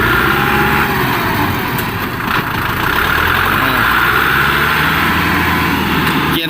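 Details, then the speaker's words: Kubota L1-265 4WD tractor, 4-cylinder 26 hp diesel, power steering, shuttle gearbox, heard while driving: steady engine chug with the gearbox and rear axle quiet, no whine or howl. Normal transmission and rear axle. "มันเงียบนะครับไม่หอนไม่ดังนะครับฟังดีๆไม่หอนไม่ดัง"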